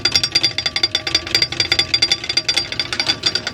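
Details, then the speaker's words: Dump trailer wheel heard backing up, rapid sharp metallic clicking about five a second from an electric brake rubbing; suspected bearings or brakes, plenty of grease found in the bearings. "my brother noticed there was a clicking sound coming from the back of my trailer when i backed up"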